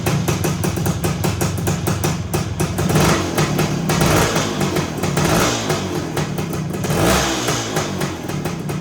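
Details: 1974 Honda MT250 two-stroke, first start after rebuild with new OEM seals, head gasket, NOS piston and rings and honed cylinder, oil in crankcase, no chain fitted: crisp even buzz revving and settling smoothly, no knocks or rattles; runs healthy.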